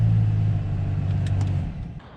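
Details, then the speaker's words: BMW F10 535i cabin blower at high fan speed roaring like a hurricane from the dash with a heavy low hum and vibration, an unbalanced squirrel cage from leaves entering past the under-hood intake cover; fix is replacing the cover. "whoa i don't know if you guys can tell but my blower motor sounds like a hurricane you know those leaf blower blocks as you get in and try to catch dollar bills yeah that's obnoxious"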